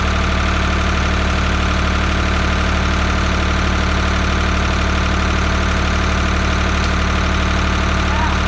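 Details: 1985 Ford 545A loader backhoe, three-cylinder Ford diesel, first cold start with rebuilt injector pump: even diesel clatter at steady idle, regular firing, no misses.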